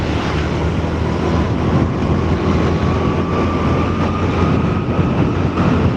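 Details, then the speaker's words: Yamaha Mio scooter after engine overhaul, accelerating from about 30 km/h while riding: smooth steady drone with faint rising tone under wind noise, no stutter or misfire; normal acceleration. "Ya. Percepatannya stabil. Tidak ada suara tersendat, tidak ada suara gagap."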